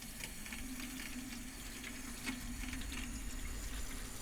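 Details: 2001 Bayliner Ciera 2655 freshwater pump, 24-year-old unit replaced with new, system pressurized, faucet open: steady low hum under running water, even and unbroken, no rattles; pump sounds healthy.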